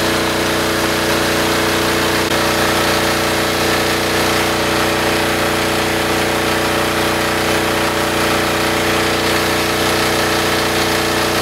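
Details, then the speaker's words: Military diesel generator running with spark arrestor removed, which had caused heavy back pressure, bogging and crackling: now steady even speed, clean drone, no bogging or crackle; normal running. "But this thing was having like loads of back pressure to the point where it was just bogging down, crackling, not sounding good. Take a listen at how good this thing starts up without that."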